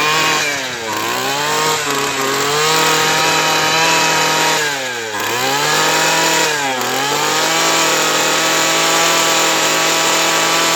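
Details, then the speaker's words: Craftsman Sim-Pull two-stroke string trimmer after carburetor replacement, primed and choked: revs cleanly and opens up well but sags almost to stalling when throttle drops; idle speed set too low. "But this one opens up really well. I think it just needs a little idle speed."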